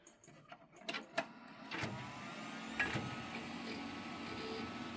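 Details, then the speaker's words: Landmark custom Pentium III 366 PC at power-on on test bench: a few soft clunks as the CD-ROM drive, probably 16X, spins up, then an even fan whir settles in; normal CD-ROM drive spin-up. "can definitely hear the clunking of the CD drive, so it's probably a 16X."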